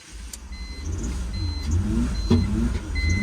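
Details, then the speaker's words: $500 BMW 3 Series without keys, started by screwdriver in the ignition after the fuel pump primed: engine catches with uneven, lumpy firing under dash chimes, struggles to hold idle and shuts off; runs rough and stalls, cause not confirmed. "Now, I don't know if you guys heard in the background, it doesn't sound so good, so I'm pretty glad I didn't go spend another $500 or $600 on keys."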